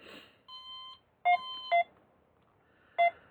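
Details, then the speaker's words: Bluefly Vario paired with XCTrack on an Android phone, for a DIY paraglider/paramotor cockpit: short clean beeps changing pitch as the unit is moved up and down. This is the normal audio climb/sink tone. "if you move it up and down, you can hear it beeping, which is an audio aid to be able to hear the movement of the"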